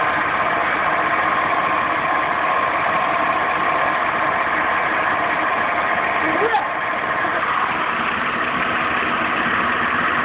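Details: Steady idle with a faint constant upper-mid whine and no knock; possibly a bad water pump bearing, unconfirmed.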